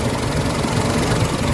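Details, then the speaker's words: Warm Mitsubishi Adventure gasoline engine at idle, hood open, before Xado engine treatment: low rumble that wavers and shudders unevenly as if close to stalling, struggling; rough idle with throttle delay and low power complaint. "Kita nyo yung nangangatalo. Parang namamatay siya, parang hirap siya sa wait, para ma-address natin yung problema ni sir."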